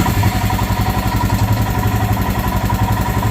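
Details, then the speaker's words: Royal Enfield Himalayan, hot, after idle screw adjustment fixing high idle when hot: steady, even, slow single-cylinder thump at about 1100 rpm with no hunting or hanging revs. Normal idle. "set it and I think you're going to find your bike does exactly what it's supposed to which is goes right to about 1100"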